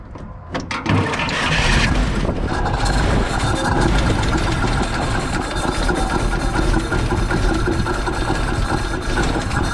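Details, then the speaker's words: Dodge WC54 3/4-ton ambulance that sat 20+ years, running on a newly fitted carb thought out of adjustment: rough, uneven running with a dull knock. Suspected not to be firing on all cylinders. "I don't think we're hitting on all cylinders. No, you can tell when you throttle up if you're not."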